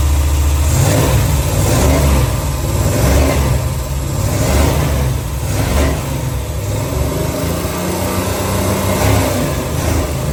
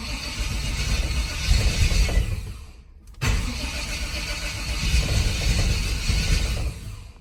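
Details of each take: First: Long-neglected V8 dually truck, bought in 2021, just after a valve adjustment to cure lifter tap: it idles evenly and revs cleanly with a steady deep burble and no top-end ticking, sounding a lot smoother; vacuum leaks were found afterward. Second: Square-body dually truck on a carburetor, sat for years: two long cranking bursts with a steady starter churn that never catch. Crank no-start because it was out of gas; it ran once fuel was added.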